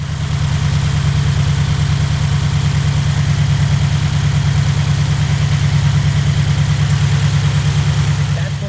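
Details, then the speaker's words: Subaru FA20 boxer engine (FRS/BRZ/GT86) idling with a steady, regular chirp-like pulse about three times a second, a known FA20 trait easily mistaken for engine knock. "Also, another thing about the engine, the FA20, great design in my personal opinion, high compression, awesomeness, but the chirping, and here's a small clip of what it sounds like."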